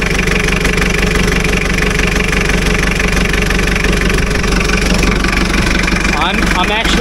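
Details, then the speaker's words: 2.4 L diesel engine (Isuzu) on heavy equipment with a dead battery, started on an Andeman E-P155 Pro jump pack; fires right up and settles into a steady, even idle clatter with no misfire or stumbling: normal idle. "impressed that's a 2.4 L uh diesel engine and it fired right the up wow yes"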